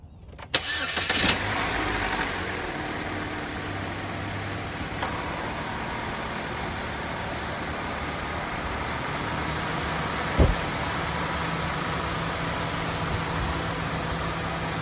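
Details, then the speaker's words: Chevy HHR after cooling fan replacement, reusing the old wire connector, AC switched on: engine settles into an even idle under a steady rushing fan; cooling fan working normally. "switch the ac on on now we have a functioning cooling fan"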